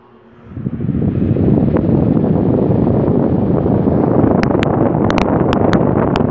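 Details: Mytec fan after disassembly and repair (motor shaft had slid forward, blades barely turned), tested on series 75 W bulb then direct mains: spins up within a second to steady, even airflow, no hum, rattle or scraping; running healthy.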